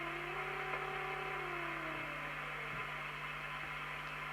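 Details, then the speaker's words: 1981 World Sound PT40 UK CB radio receive alignment with a 455 Hz marker oscillator near the IF circuit: a clean whistling note slides down and settles at zero beat over steady hum; receiver on frequency. "that is zero beat that means it's on frequency"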